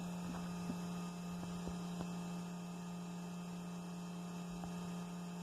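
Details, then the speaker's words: 1989 Ferrari Mondial T fuel pump run by a test switch at the relay socket after fitting new fuel pressure regulators: steady low electric hum, rail at about 58 psi, regulator open returning fuel to the tank; normal, no leaks. "now it's circulating fuel back to the fuel tank through this return line here i can actually feel it it feels cold so there definitely is fuel running through there right now"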